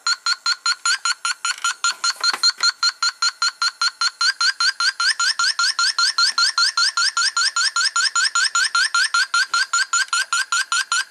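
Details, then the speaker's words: 1993 Cadillac Allante V8 with low A/C charge: audible buzzing of escaping refrigerant and a fast, steady high beeping, about 2.5 per second, from the leak detector. The leak is where the lines meet the compressor. "you guys hear that kind of like a little buzzing well that's refrigerant leaking out and using our sniffer see if I can get a shot of [Applause] this see right there right where the lines meet the compressor there it is"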